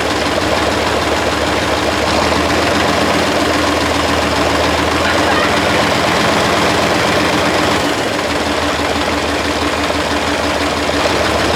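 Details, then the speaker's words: 1973 Mack R700 with Mack 865 V8 diesel, first run in 20 years after injection pump rack repair: loud, slightly uneven idle with heavy clatter, smoky; rough idle after long storage. "that just a little smokey smoke stage when I let go that made me a little nervous dude we just smoked out everything oh she runs man that's been a long time coming"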